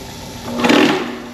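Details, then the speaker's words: Mock-up kitchen sink garbage disposal deliberately jammed with three self-tapping steel screws while running with water: a steady low hum, no spinning or grinding, as the powered motor tries to turn until the built-in overcurrent safety trips. Jammed disposal. "Alright, so now you can hear that it is no longer spinning, but we heard a hum. The motor was trying to spin, it's jammed up, it's not able to do its job anymore."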